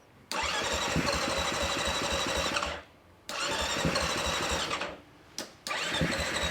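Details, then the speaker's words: Beta dirt bike after fuel pump repair. Three cranking bursts of quick, uneven pulses with short pauses before it catches. The fuel pump is now delivering and the bike starts normally. "putting this back on we're going to try it out fingers crossed I hear the pump running"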